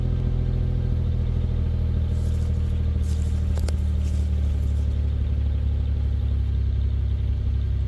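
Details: Pontiac Grand Am 3400 V6 with a new 65mm throttle body, muffler and GMC Acadia exhaust tips: deep, steady exhaust rumble at idle, even and smooth with no ticking, misfire or rattle; a healthy running engine.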